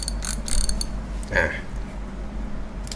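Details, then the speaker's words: Daiwa Revros LT 4000/6000H (2019/2020) spinning reel after refitting the clicker: crisp ratchet clicks in short bursts, clearer and louder than before though not ringing loudly. Finding: normal reel clicker. "ถึงจะทำการใส่เข้าไปนะมีเสียงก็ดังขึ้นมานะครับก็ชัดขึ้นมานิดหน่อยนะครับแต่ไม่ถึงกับว่าดังก้องกังวานนะครับแต่ว่ายังดีกว่าที่ไม่ได้ยินเหมือนเดิมนะครับ"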